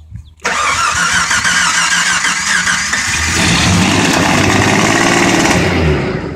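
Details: Jeep Comanche first start in at least 8 years: brief cranking, then engine catches and settles into a ragged, rising run after long storage.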